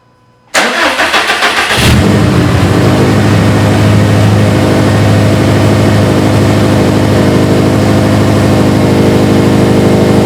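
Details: Subaru STI, cold start after installing a Torque Solution cylinder 4 cooling mod and refilling coolant, before burping the system: about a second of quick, even cranking, then it fires straight into a steady fast idle; clean start.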